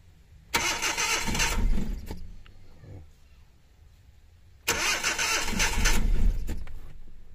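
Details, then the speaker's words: Suzuki DA64 minivan, K6A engine, cold start, low power and misfire; catches with a rough roar only when the accelerator is pumped, then sags and dies within seconds; ignition coil pack blamed and replaced; hard starting and stalling from a faulty ignition coil. "so yan Ayaw umandar kailangan na natin bombahin ang ah ah accelerator para umandar"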